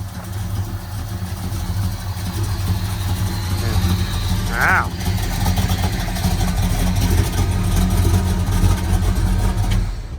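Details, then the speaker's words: 429 Ford big block V8 with Holley Sniper EFI, Hooker Super Competition headers, MSD parts; deep steady rumble with slightly lumpy idle and quick, touchy throttle response; healthy and strong. "definitely got a little bit of a lumpiness to it too"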